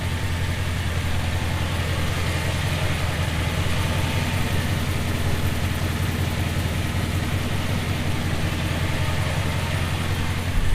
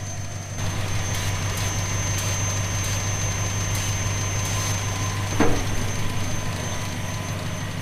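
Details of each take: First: 1970 Plymouth Fury III convertible, 318 small-block V8 with 904 automatic, running after new spark plugs with the air cleaner refitted; one bank slightly smoky. Deep, steady burble with an even beat, no misses, ticks or knocks. Normal healthy idle. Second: 1970 Plymouth Fury III convertible, 318 V8, 904 automatic, glass-pack exhaust: thin steady high whistle over an even idle; vacuum leak, owner suspects one of the lines at the back of the carburetor.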